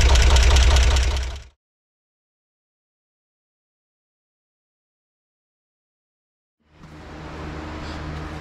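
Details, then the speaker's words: 1963 Corvair engine after carb resync attempt: dull regular knock about four per second tied to rotation; valve adjustment made no difference, so the source is likely not the valves and remains unknown. "cuz it sounds like it may not be coming from the valves after all"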